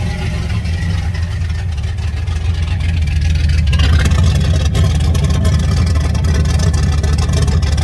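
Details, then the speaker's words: 1989 turbo Fox Body Mustang, cold, after a Melling high-volume oil pump install and distributor re-stab: a deep idle with an uneven, lumpy beat of about three pulses a second. It sounds like it's missing, oil pressure is dropping to about 30, and the cause is unconfirmed. "man it sounds funny so"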